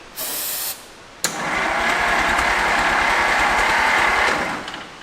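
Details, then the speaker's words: 1929 Dodge revived after 40+ years, first real start attempt after starter repair and distributor adapted to a Chevy rotor: fast even starter whir about three seconds with no firing; cranks but won't start, weak spark suspected. "We might have lost spark or something. Spark sparking. I wouldn't say good spark, but it has enough to lightly shock me from a distance."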